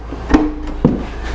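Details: 2006 Jeep Liberty (KJ) with an intermittently stuck tailgate, final test after repair work and spraying: two crisp clunks about half a second apart as the gate pops free cleanly; it releases as it should.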